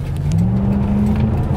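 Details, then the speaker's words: 2006–2008 Chevy Impala SS, LS4 5.3 L transverse FWD V8, about 300 hp, after new plugs, wires and valve cover gaskets: strong, even pull under hard throttle, note climbing smoothly with no stumble or miss; a night-and-day improvement, engine sounds healthy. "oh wow wow no way okay yeah that's a that is night and day difference there guys wow this thing this thing gets up it's only 300 horsepower"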